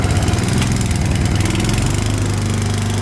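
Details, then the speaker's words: Vintage Atco Balmoral self-propelled cylinder mower running strong and even with no misses or knocks after a new fuel line was fitted; runs well. "There we go. Listen to that. That runs really well as well."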